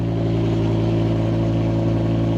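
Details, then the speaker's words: BMW M6 V10, previously rough on cold start with engine light, cold idle after repair: loud steady deep even rumble, about 92 dB, no hunting or stumble; idling cleanly. "For anyone wondering, it's reading about 92 decibels on cold start, which I think is pretty loud"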